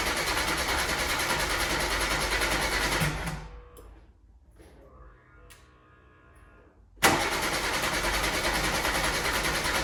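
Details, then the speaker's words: 1988 VW Golf MkII barn find, stood 14 years, new in-tank fuel pump fitted and pressurizing: starter cranks steadily about 200 rpm, pauses, cranks again, never catches; crank no start, no fuel delivery, moving on to second fuel pump under car. "so no nothing at all so it's on to the second fuel pump"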